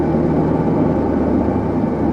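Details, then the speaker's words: 1983 Pontiac Firebird F-body with Crossfire Injection, after throttle body rebuild, air cleaner refitted: smooth, even low idle with steady firing, no knocks, misses or hunting; purring like a kitten, runs great. "here you can hear it purring like a kitten. So runs great."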